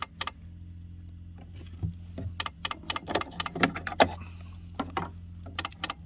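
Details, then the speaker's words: ACL Lifestyle hot-water programmer/timer: sharp irregular clicks over a faint steady low hum as it switches hot water mode on and off. The cause is not clear. "so this is Asia lifestyle programmer and you can hear the noise coming out from the program"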